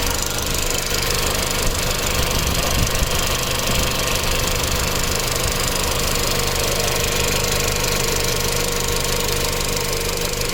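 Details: Tuned B7 Audi A4 1.8T with metal injector cups, new cam chain tensioner, new purge valve and upgraded fuel pump, no codes: light quick top-end tick only at hot idle; owner suspects low oil pressure to the tensioner, or injectors, unconfirmed.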